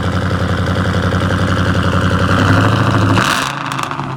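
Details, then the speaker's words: Cammed V8 after Edelbrock intake manifold swap with 92 mm throttle body, fuel primed, heard from the rear: loud lumpy lope about four pulses a second, then settling lower; normal cammed idle. "Like I said, it is cam, so it's gonna be loud, so y'all can hear what it sounds like."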